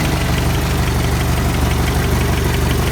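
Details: 1985 Toyota pickup with 22R four-cylinder, after fixing the 80 amp fusible link that caused a no-start: a steady low idle with even pulses about four a second and a faint tick, no misses; healthy.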